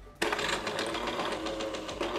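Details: Jura E80 coffee machine after repair for leaking, tray not detected, error 8 and stiff, loud running: motor whirrs up sharply into an even, fast rattling run with no grinding or straining; brewer cycling normally.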